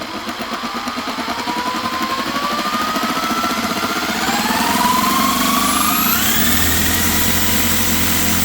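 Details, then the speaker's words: Pre-war Riley dynamo after a rebuild, spun by drill through a machined adapter: a rough, gritty whirr rising to a whine with speed from a worn, noisy bearing; it produces only a tiny voltage. "now you can hear the noisy bearing so i get a tiny voltage"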